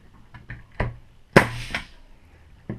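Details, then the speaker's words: Brad nailer on an air compressor charged to around 100 psi, nailing a trim board to a 2x4: a single sharp pop with a quick puff of air, plus lighter handling taps. The nailer fires cleanly. "Alright, there we have it. Nails now in there, no problem. You could hear that sound there."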